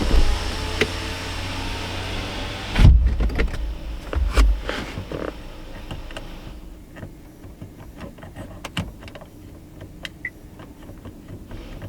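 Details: 2018 Chevy Silverado 1500 with a dead rear sliding window, rolling the windows up while listening for relay clicking. Smooth electric window motor whirr for about three seconds ending in a firm stop thud; normal window operation, no relay click heard.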